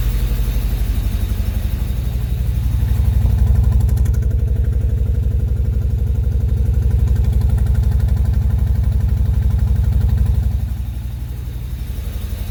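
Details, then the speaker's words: 1995 Honda Civic with a traded-in replacement engine, started after fuel pump troubleshooting: steady idle with a rhythmic exhaust putt about four times a second, attributed to a burnt-out valve. "so you probably could hear the putt happening there um that is a burnt out valve"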